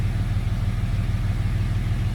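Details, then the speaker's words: Jeep after removing a bolt that held the cylinder 3 intake valve open (zero compression): a low, even rumble holding a steady idle at about 750 rpm with no stumble or misfire. "It's idling perfect"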